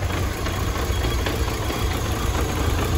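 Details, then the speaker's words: Chery Tiggo, after throttle-body cleaning with WD-40 for an idle problem: a steady low idle rumble with a fairly even beat and only slight unevenness; the idle no longer oscillates. "a marcha lenta não tá oscilando tá certinho"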